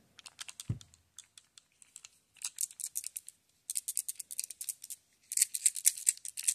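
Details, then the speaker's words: 2007 BMW E83 X3 with no-crank immobilizer/EWS problem, shaking the key fob: bursts of light tinny clicks, something loose inside; a new fob doesn't rattle. Key suspected faulty, not confirmed. "if you can hear that hopefully there is something right going around in there and I don't think that's supposed to happen"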